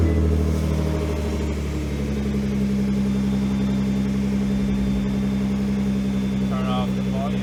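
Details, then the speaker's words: Nissan GT-R R35 after installing twin ANSU 330lph fuel pumps in a Visconti Tuning drop-in fuel basket and reconnecting the battery: a smooth, settled idle with a steady low hum, no stumbles or pump whine. Normal idle. "Down the volume, wait in here and see if everything sounds good. Yeah, everything seems good to go."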